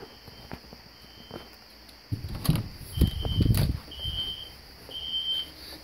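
A thin, high tone repeats in short bursts, muffled behind a shut door with some handling noise; the alarm horn is sounding normally.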